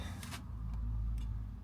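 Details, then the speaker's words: 5 kW Chinese diesel heater at first startup: soft, evenly spaced ticks about twice a second over a low hum, the fuel pump priming normally, with some air in the line. "Oh. That's it priming. You can hear the little ticking."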